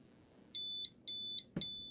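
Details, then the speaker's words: 2 kW inverter on an adjustable DC supply ramped past 15.5 V: repeating high beeps about 0.3 s long as the over-voltage alarm triggers at 15.7 V input. "So at 15.7, it triggered the overvoltage alarm."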